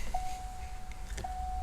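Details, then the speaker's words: Early Fox-body Ford with the preferred later-model chime module: two clean steady single-pitch chime tones, each about a second, over faint hum; chime working normally. "so you have an early fox body and you just cannot stand the sound of this but what you'd really prefer is the sound of this"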